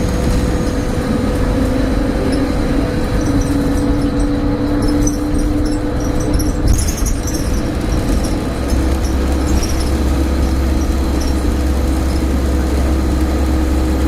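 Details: Stagecoach Cumbria Optare Solo bus 47020 (PO51 WLK) under way on Service 30 from Whitehaven to Workington, May 2015: a constant, loud, deep humming drone; the source is unknown.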